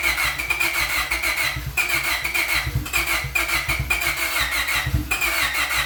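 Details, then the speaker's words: Boosted Honda Civic with OBD2 distributor internals fitted into an OBD1 distributor shell, earlier no spark, check engine light on: fires up but stumbles, surging and dipping about once a second, never settling. Rough running from weak ignition spark. "All right, so it's somewhat getting spark now. As you saw, it did fire up."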